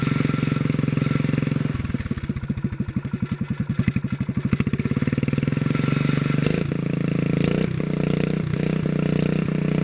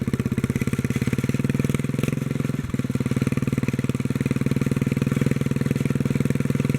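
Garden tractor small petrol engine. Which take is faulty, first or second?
first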